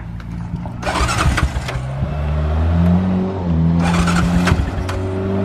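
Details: Side-by-side (Rhino) with its cage still unfinished, started up: cranks, catches and settles into a steady running note, then picks up cleanly when revved; it runs properly.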